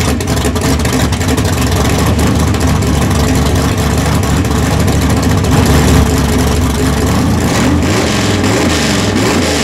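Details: Skull Garage gasser that sat all winter, front wheels removed, started without a gas pump. Loud, lumpy V8 rumble that rises and falls cleanly with each throttle blip; fires and revs strongly.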